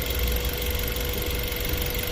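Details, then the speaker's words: 2007 Mazda 3 1.6 TX, 105 hp petrol, about 130,046 km, dealer-serviced, fluid levels fine, at idle: steady, even idle with a light, regular valve tick and no knocks or misses; nice, healthy engine sound. "Azt gondolnám, hogy ez nagyon szép és egészséges motorhang, ezzel biztos, hogy itt probléma nincsen."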